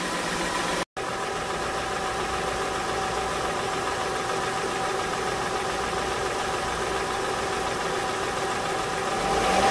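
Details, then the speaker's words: 2006 Honda Ridgeline after alternator replacement (old unit overcharged then died): engine revved after checking pulley alignment; even run climbing smoothly, no chirp or squeal, belt noise now gone. "but as you can hear the the belt noise is gone now"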